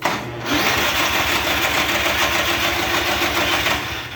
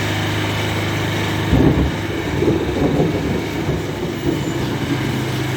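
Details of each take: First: Murray riding mower with a Briggs & Stratton engine, starter terminals just rewired correctly: fast steady cranking at about three and a half pulses a second, never catching; it cranks but won't start. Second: Murray riding mower with a Briggs & Stratton single-cylinder engine, test run after reassembly: a steady, even idle with only light roughness and no knocks or misses; it runs healthy.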